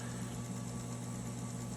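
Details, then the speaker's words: Typewriter running again after belt change, new motor and typing belts fitted: smooth, even low hum and steady buzz, no wobble or rattle. Much quieter than the old belts, which vibrated and ran roughly. "well as you can see here are you that you can hear it is running again with new belt in there's the there is the uh motor belt"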